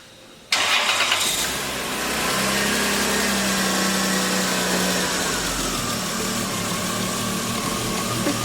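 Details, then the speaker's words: Engine that starts right up and then, once warm, has its idle swell and sag over a few seconds instead of settling; idle surge, owner suspects a sensor or solenoid. "see how it's surging um it's surging pretty good"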